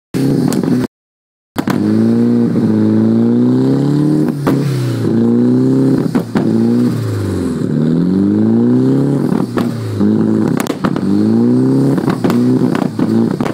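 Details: Nissan 240SX with a rough, hunting idle: the engine note sags and recovers every second or two instead of holding steady.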